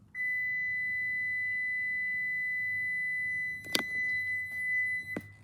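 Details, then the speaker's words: Toyota key fob lock pressed with a door open: one long steady high beep for about three seconds, the warning for locking with a door open; pressing unlock stops it. "so if you if you if you press the lock button with like any doors open or something then this is the sound line it makes"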